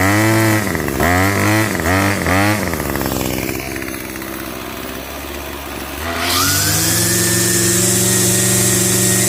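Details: Revived curbside Craftsman 25cc two-stroke trimmer with a new fuel return line, restarted after a 30–45 second cool-down: crisp blips in quick succession settle to a steady idle, then climb cleanly to full revs; repair successful.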